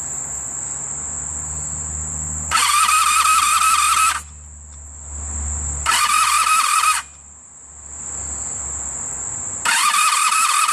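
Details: 1985 Honda Sabre VF1100 V65, previously seized engine freed, carburetors still needing rebuild, sat outside about four years, fuel lines dry: three brisk cranking bursts of about 1.5 seconds each, engine never catches, crickets between. Cranks but won't start.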